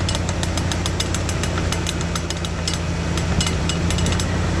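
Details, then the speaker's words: Worn needle bearings in a car driveshaft U-joint (cruceta), four needle bearings at its ends: sharp irregular ticks and clicks over low drivetrain hum. "Y justamente en sus extremos contiene cuatro baleros de agujas. Estos baleros con el tiempo y con el uso se dañan causando que se pueda escuchar y observar algo así."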